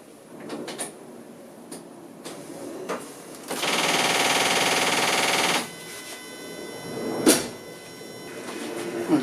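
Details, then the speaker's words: Reinstalled AJ30 Duratec V6 with the ignition switched on before starting, checking the fuel rail for leaks: a steady soft whoosh for about two seconds among handling clicks. This is the electric water pump running normally. "The bushing noise you can hear is the electric water pump."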